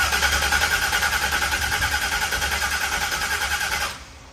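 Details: Z2H8 Camaro V8 with ported heads, freshly reassembled after a coolant pressure problem (suspected gasket issue), run before returning to the dyno: catches and settles into a steady, even idle with a smooth rhythmic burble, then shuts off cleanly; normal idle.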